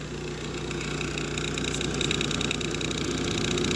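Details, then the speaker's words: GE refrigerator condenser fan motor running: steady hum with a fast, uneven ticking rattle; worn bearing gives heavy shaft play, so the shaft wobbles and gets noisy. Motor to be replaced. "Looks like there's a lot of shaft play in the motor, and it will just start to wobble and make a lot of noise."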